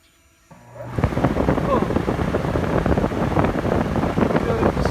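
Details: RV air conditioner fan after freeing a stuck shaft with PB Blaster and white lithium grease; after a second of quiet it spins up into a steady rushing whoosh, turning freely with no grinding or catching, normal.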